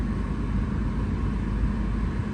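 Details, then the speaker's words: 1989-1995 BMW E34 5 Series after cabin filter and blower resistor replacement: a steady, even rush of air with a low hum and no squeal or ticking. The blower runs normally. "may not be cold but it's blown awesome good to go"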